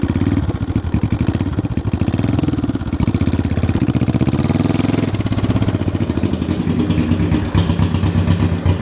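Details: 1974 Honda CB500T cafe racer pulling away and cruising. Uneven, lumpy exhaust beat. It runs rough and has a hard time staying running; the owner suspects the carbs need a rebuild and sync, but this is unconfirmed.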